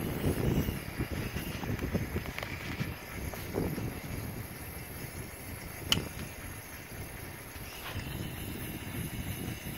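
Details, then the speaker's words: 2003 Ford E550 7.3 Powerstroke box truck, P1211 low ICP under load when hot: irregular bubbling gurgle from number 8 injector's spigot, changing when covered; internal injector leak, other injectors quiet. "but you can hear the gurgling here I'm going to let it let you listen and illustrate the change in sound when I put my finger over the little spigot"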